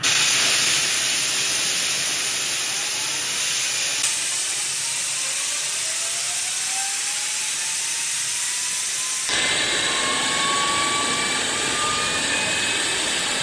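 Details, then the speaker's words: Brass wheel spun by 60,000 PSI waterjet on bushings instead of failed ceramic bearings: high whine climbing with speed over loud hiss, then harsher ringing; scored, hot bushings causing heavy friction and noise. "Oh, that's what happened to the bushing. No wonder it generated so much friction and started making that noise."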